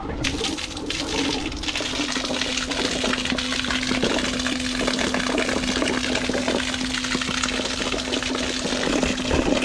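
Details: Boat water pump test: steady mid-pitched motor hum over rushing, gurgling water, drawing cleanly and emptying the tank without strain. Normal pump operation.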